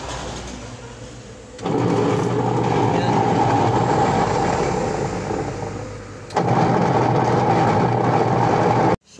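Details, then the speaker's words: Micromatic washing machine in the wash cycle, motor earlier said to be faulty and needing replacement: loud rough grinding roar over a steady low hum; back to be opened to check the motor and pulsator, cause unconfirmed. "So grabe ang ingay, ano po. So bubuksan natin dun sa likod para ma-check natin yung kanyang motor at saka yung kanyang pulsator."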